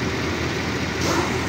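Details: 2012 Toyota Land Cruiser V8, cold engine at idle in cold weather, no check engine light: slightly uneven stumbling beat from a misfire; cylinder location being traced, suspected failing ignition coil.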